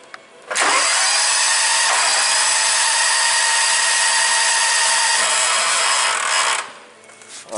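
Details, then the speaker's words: 1998 John Deere 6x4 Gator with Kawasaki engine, crank-no-start (customer reports spark and fuel good, fuel pump running): high, even starter whir for about six seconds, cranking much faster than normal, briefly tries to kick over; suspected no compression, unconfirmed. "so a couple things I noticed there may have heard it just did try to start to kick over once there spinning over very very fast and it's cranking over a lot faster than one of these engines would normally be expected to"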